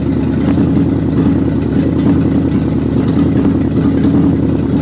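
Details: Rebuilt 360 engine, new belts and hoses, thermostat opening: steady, even low drone at constant speed with no clatter standing out; runs healthy though some popping and missing is blamed on the carburetor gasket.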